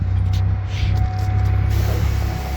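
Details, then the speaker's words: 2009 Buick LaCrosse with a crank-no-start complaint, after replacing the crankshaft position sensor: it starts right away and idles with a deep, even rumble and no misses or knocks, healthy. "Engine sounds good. All good to go."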